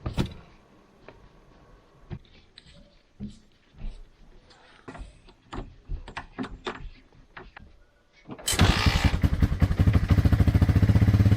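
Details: Honda TRX300 quad, previously running rough and better on choke, after clearing gunk from the carburetor main jet; after clicks, engine fires and settles into a steady, even thumping run with no backfiring.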